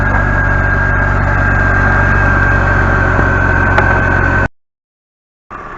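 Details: 2004-2010 BMW 5 Series after upper radiator hose replacement, running with heater on during leak check: steady even idle with faint constant high whine, no misses or knocks; normal idle.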